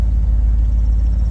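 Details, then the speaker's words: Old Ford F100 V8 that sat long with possibly mouse-damaged wiring, first restart, in neutral, idling without gas pedal; low even burble, no stumbles, misses or ticks, smooth settled idle. "Truck starts up without any gas pedal, that's nice."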